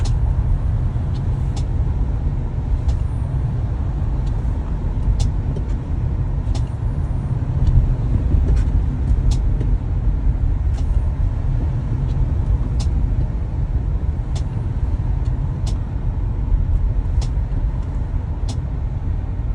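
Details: Tesla Model Y driving: sharp light clicks about one per second over deep road rumble, recurring less than a week after service for this clicking.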